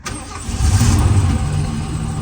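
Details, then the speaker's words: 1977 Lincoln (Mark V/Continental) V8 started after about 3 years in storage, with the fuel filter replaced and two-stroke premix poured into the carb: cranks and catches within half a second, swells, then settles into a steady, even idle. Normal quick start. "Man, that was like right away."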